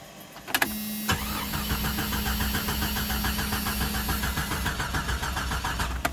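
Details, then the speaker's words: 1996 Jeep Cherokee Sport 4.0, which dies after about 20 miles and won't restart until cooled for one to two hours: it stalled hot after about 13 minutes, then the starter whirs with an uneven chug for about five seconds without catching; crank no start, cause unknown. "It died. Then when you go try to crank it again, [laughter] nothing. It won't crank back."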